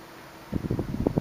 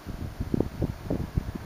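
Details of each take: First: 1976 Electrohome 30 cm (12-inch) desk fan on low speed: a very quiet hum with a run of irregular dull cracks and knocks, heard when it oscillates. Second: 1976 Electrohome 30 cm (12-inch) desk fan with four pitched plastic blades, on low speed: soft, low whoosh of air with faint fluttering, no grinding or whine; runs quietly, with a few cracking sounds when it oscillates.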